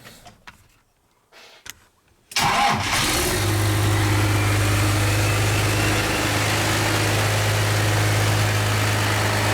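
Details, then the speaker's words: K30 squarebody truck swapped to a Cummins diesel, warm from just running, in neutral with no clutch safety switch: short crank, it catches at once and settles into a steady, even idle with no misses or knocks; healthy start. "so the motor was just running it was warm that's why I stirred right up no problem"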